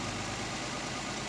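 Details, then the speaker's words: 1968 Mercedes 280 SL Pagoda, M130 inline six, after tune-up with new fuel filter and oil change: idling so smooth a balanced coin only vibrates slightly without falling; soft even hum, no stumble or knock. "Ran So Smooth I won't even knock the coin over see it just vibrate just a little bit not enough to knock it over"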